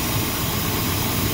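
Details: 1972 Monte Carlo with factory 402 big block (U code), long-sitting and running off a fuel jug: deep, steady rumble with an even beat and no knocks or misses; smooth big-block idle.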